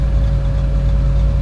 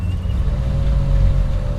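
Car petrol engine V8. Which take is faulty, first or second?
second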